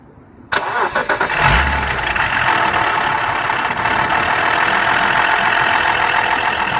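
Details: BMW F10 523i petrol engine at start-up and idle: busy metallic rattle over the running sound, from the VANOS area; owner suspects it began after the VANOS bolt replacement.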